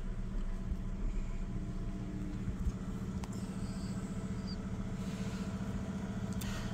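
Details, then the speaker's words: Ford Fiesta petrol engine idling, heard at the exhaust: uneven puffs with occasional stumbles and pops from a misfire. "can hear it in the exhaust this is a good way also tell if your car's misfiring go to the exhaust listen to yeah pops that's misf Fires"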